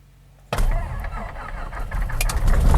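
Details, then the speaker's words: Piper Cherokee Six, mixture full, fuel pump on, cranked with magnetos off to spin the prop about three turns and circulate oil: steady, fairly slow rhythmic starter churn of compression pulses, no firing; normal cranking. "I'm just going to let the prop spin, maybe give it about 3 rotations so that the oil will circulate through the engine."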